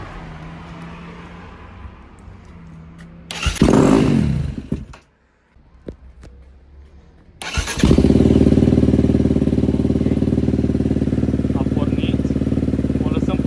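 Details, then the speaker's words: KTM 250 dirt bike, which ran poorly before, after cleaning its Keihin FCR carburetor: cold engine, choke on, idle raised. A short kick burst, then it settles into a steady, fast choke idle, a healthy cold start. "lăsăm puțin să meargă așa și apoi o să mai umblăm la reglaje dacă este cazul. Așa, să vedem motorul rece."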